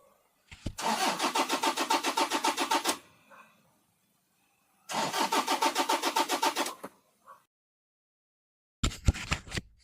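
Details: Toyota diesel: two cranking bursts of about three seconds each, starter chugging evenly, engine never fires; cranks but won't start, cause unconfirmed.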